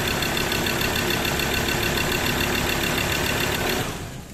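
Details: Mazda BT-50 3.2L diesel whose customer complaint was cranking with no start, a failed cam angle sensor; even diesel clatter at steady idle with no misses or knocks, then shuts down. Engine sounds healthy, normal idle.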